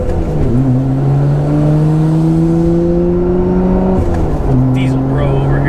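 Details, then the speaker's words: HKS-built twin-turbo car (HKS 230 turbos, stock bottom end, dual blow-off valves) back running after its worn-out turbos were replaced. Whistle rises with revs, dips as the second turbo takes over, then climbs; normal sequential changeover that the worn turbos no longer did. "here I can hear these turbos going back and forth they did it before but it's just it's nice to hear that again"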